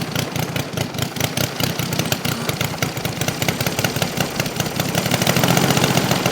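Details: New Saito FG-60R3 3-cylinder radial in a Legend Hobby T-28 Trojan RC plane, first ground run, break-in deliberately run super rich for lubrication: lumpy burbling popping at fairly low speed, picking up toward the end; normal.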